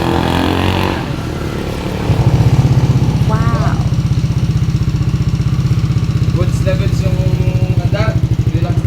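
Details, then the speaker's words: Yamaha Aerox V1 scooter after repair of misfiring, stalling and no idle (CKP already replaced earlier), battery low; single thumps at steady even beat with no stumbles, idle healthy and stable. "At ngayon umandar na yung motor niya. Ayan ang ganda na ng kanyang RPM dahil na-address natin 'yung mga sakit."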